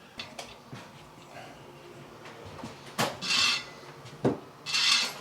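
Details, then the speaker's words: Royal Enfield Interceptor 650 rear wheel being trued during rim change: quiet spinning wheel with short scraping rub about once per turn where the truing gauge touches the rim's high spot, spokes then tightened. "which is a high spot you can hear that's touch the high spot there so i'm going to tighten it up"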